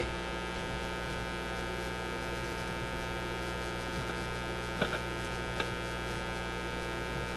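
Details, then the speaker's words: Canadian Motorola MK-56R five-tube AA5 radio, running around 100 volts, radio section dropped out while amplifier works: steady low buzzy drone with no programme; mains hum from a failed filter capacitor, needs new capacitors. "now that hum you're hearing is coming because this capacitor is shot we got we got to put in some more capacitors easy easy job"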